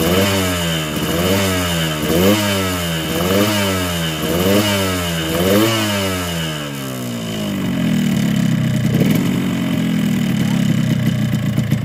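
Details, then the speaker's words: Yamaha RX King two-stroke: repeated blips rise and fall, then drop to a rattly idle, sounding coarse and strained under throttle from the block. Over-wide exhaust port from bad porting; throttle cable also too long. "ya dari suara di bagian blok Memang agak kasar untuk tali gas ini tadi saya tes gas ini juga naik tidak habis mungkin tali gas kepanjangan"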